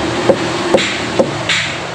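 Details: Mitsubishi Outlander EPS steering rack tapped by hand before repair: three sharp, hollow knocks about half a second apart, showing loose play from a worn left-side rack bushing behind the suspension knock.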